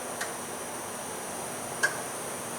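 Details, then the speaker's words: 2001 GMC Sonoma 2.2 L with P0410 secondary air injection fault, relay toggled by functional test: two sharp clicks in a quiet bay but no pump hum and no solenoid click felt; the relay switches but the air pump stays dead. "but I am not hearing the solenoid clicking here, guys. Let me see if I can uh do this at the same time while I actually feel here. But, uh I'm definitely not hearing the solenoid click."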